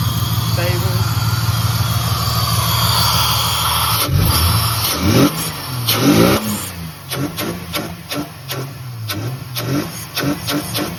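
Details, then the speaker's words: Ford AU Falcon with a miss mainly under decent/heavy load, after new leads, plugs, fuel filter, cleaned TPS and MAP sensor; steady idle, then sharp throttle blips stumble with choppy firing before clearing; intermittent misfire, owner suspects fuel pressure/pump. "There's a miss with like a sharp blip. But then it clears."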